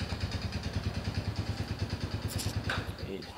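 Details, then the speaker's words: Honda Supra X (C100) small single at idle with a steady rattling clatter of about three knocks a second. It was smooth before long-distance use; a worn piston and rings are suspected, possibly to be rebuilt oversize. Not confirmed. "Suaranya kletek-kletek, nanti kita bongkar penyakitnya apa ya. Tapi kalau dilihat dari suaranya itu, ini pistonnya udah ngantong, udah minta diganti baru sekernya."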